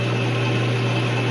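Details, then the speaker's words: Atlas 12 lathe after fitting straight bushings to change gears, no gears engaged: steady even low hum with no knocks or rattles; running nice and smooth. "Alright, so here's no gears engaged, the sound of the lathe."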